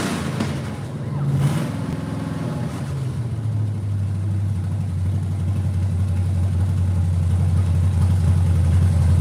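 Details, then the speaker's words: 1967 Camaro, manual, restarting after sitting 35+ years in a barn. V8 lights off, revs briefly, then settles into an even, deep burble with a steady low tone; runs clean and healthy. "I'm glad it's just like it is sounds great and it [ __ ] sounds awesome"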